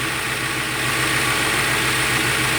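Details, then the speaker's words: Ford MPFI intake after sharp edges in the throttle body, IAC and intake were smoothed and a 1/8" hole was drilled in the throttle plate. Steady, even idle with a smooth hum and no whistle or resonance: fixed and healthy. "this thing is fixed I think the problem was all this residents coming from over here because I creating this like loud residents inside this intake part of here"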